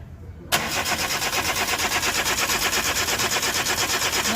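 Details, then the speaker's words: 2013 Chevrolet Spark 1.2, code P0352, severe misfire on two cylinders, coil already replaced: cranking without catching cleanly; no trigger pulse reaching coil from ECU due to wiring fault, so coil draws no current. "O sea, aquí claramente no está llegando pulso. Y como no llega pulso, la bobina no consume."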